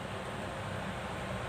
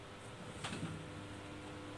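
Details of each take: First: Exhaust fan that had hummed and stuck, after its capacitor was replaced (0.8 µF swapped for 1 µF): a steady, even whoosh with a low hum and no drag. It is spinning freely again. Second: Exhaust fan that is dirty and seized: steady low electrical hum with no blade or air sound. The motor is powered but stalled and will not spin.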